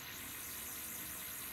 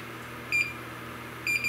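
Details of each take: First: Neotec NT-2701 27" arcade monitor chassis after repair (burned-up C450, reflow, rework, new filter cap): faint steady high-pitched whine, no ticking, normal for these chassis; image perfect and stable. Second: Neotec NT-2701 27-inch arcade monitor chassis with ticking fault: meter in continuity mode beeps briefly then holds a steady tone across C450, reading 0.1 ohm, shorted capacitor.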